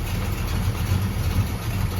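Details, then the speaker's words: 1971 Dodge Demon 340 V8 idles with a deep, steady burble. The valvetrain is now quiet with no ticking or tapping, though an exhaust leak is noted. "hey valve train's nice and quiet today"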